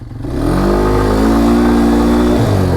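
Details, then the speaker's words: 2022 Polaris Phoenix 200 quad with long-standing starting, idle and acceleration trouble: engine catches and settles into a wavering, uneven rough idle after the choke and a hard ride, though it pulls fine on throttle; a split intake manifold lets in extra air, leaning it out. "now you can hear it does have a really rough idle it shouldn't be that rough but hey at least it's idling"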